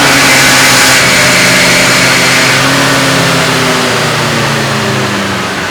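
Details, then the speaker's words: Stock 1966 AMC Rambler American with the 199 cubic inch straight six on a chassis dyno at full throttle, slowly reaching 4,000 rpm and about 100 mph; smooth drone climbing in pitch with no knocks or misses. Normal run, result 65.97 hp at 3800 rpm. "and this is legitimately how long it took our Rambo American to get to 4,000 RPM and approximately 100 mph work at wheel spe"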